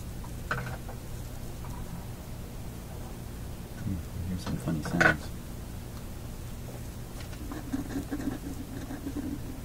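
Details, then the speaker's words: OTL amplifier with 6C33 tubes at first startup, bias adjusted, speaker near the camera: low steady hum with irregular crackling bursts caused by a bad pin contact on an output tube. "that's making that sound so bad pin contact on this tube is making that sound"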